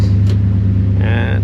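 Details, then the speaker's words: Chevy Suburban 454 V8, fuel pressure problem fixed at the tank, off jack stands with good fuel pressure. It holds a deep, even idle rumble with a steady pulse and no knocks, misses or hunting. "it's idling pretty good"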